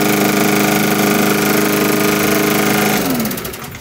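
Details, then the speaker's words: Briggs & Stratton 5.0 lawn mower after cleaning carbon deposits from the head and valves to cure idle surging: steady, even single-cylinder beat holding constant speed with no hunting, then winding down at shutoff; normal running. "how smooth it runs after I cleaned all that crap off the metal. Now the valves have room to go up and down and push up against the metal."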